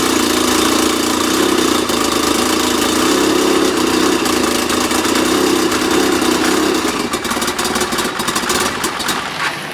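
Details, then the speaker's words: 2012 Arctic Cat F1100 Turbo snowmobile, 4244 miles, on a borrowed battery: lumpy, uneven low idle around 700–800 rpm with an irregular loping beat that won't settle; owner suspects the Hijacker programmer, unconfirmed. "another issue that it has and i believe it has to do with the hijacker programmer because i read somewhere in the man in the manual for the hijacker programmer is your idol it doesn't want to idle very well it only wants to idle around seven 800 rpms so it sounds like it's cammed out"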